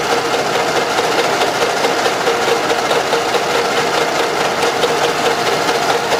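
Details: Camshaft end-play knock: light, fairly regular tapping at the top of the engine at steady idle. About 0.5 mm axial play was measured in the head bore. The engine had rare or poor oil changes and heavy blow-by. Fix: machine the plug down 0.5 mm.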